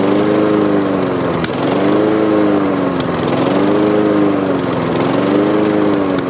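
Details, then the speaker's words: Honda HRX217 mower that sat outside for years, pull-started on its old fuel after carb cleaner spray, with debris blowing out: it runs but surges up and down about every 1.5 seconds, like a lean mixture. Owner plans fresh gas and a carb cleaning. "I was really surprised that it cranked like that at all."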